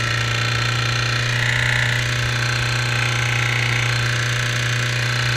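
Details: 2008 Suzuki GSX-R600 idling at about 220°F: steady hum with a quick, uneven tick/click about three per second, sounding knock-like at times; oil light comes on almost instantly with clutch pulled in, sight glass always reads full; source unknown.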